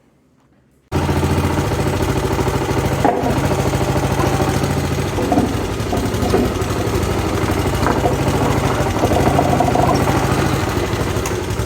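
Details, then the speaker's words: Honda GCV160 engine on a Pubert wheeled brushcutter after repair of a broken exhaust valve rocker arm (low-power fault), tappets adjusted: catches after a moment and settles into a steady, even single-cylinder beat with no tapping; normal running. "Ahora suena como suena un motor de estos normal."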